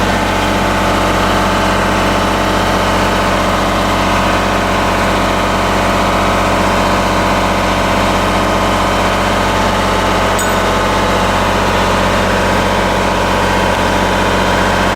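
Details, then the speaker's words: Kohler Command Pro 27hp lawn mower V-twin after head gasket repair, muffler baffle drilled out: loud raw steady idle with even throb, no knocks or misses; loud idle through open exhaust. "But it's wide open now. My neighbor's gonna love me."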